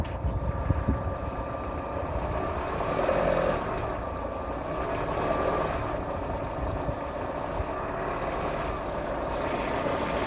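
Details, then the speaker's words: 2013 Renault Duster 1.6, warm engine, adsorber hose removed from throttle body and port plugged, throttle pressed: thin steady whistle rising with revs; whistle also at cold idle, source unknown; hard cold starts, unstable idle. "Вот нажимаю газ, и сейчас камерой покажу свист."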